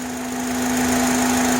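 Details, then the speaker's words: 2005 Honda Accord EX 4-cylinder at idle: a steady hum with a faint whistle near the intake, ceasing when a hose piece is removed. Owner suspects vacuum, throttle body or intake manifold (unsure). Present cold or hot, louder near 30 mph. "So I believe it has to be something with the vacuum, but I'm not sure. Or maybe the throttle body or the intake manifold."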